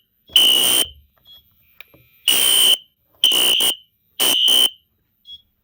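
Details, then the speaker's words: Newly built fire alarm system board, first pull station activation: loud, shrill horn blasts about half a second long, repeating in groups with short pauses. Horns and strobes are synced, code 3, no audible silence; normal operation. "They are all obviously synced together, and no audible silence. No audible silence. So the strobes and the horns go out together, and they're code 3, of course."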